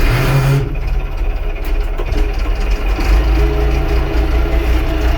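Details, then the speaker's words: Allis Chalmers 6080 tractor after an overhaul, idling as heard inside the cab after cardboard was put up to cut engine noise. A deep, even rumble with the muffler now clearly audible and no knocks or rattles; a slight echo remains: a normal idle. "Oh yeah. Hey, I actually hear the muffler now. That's way better."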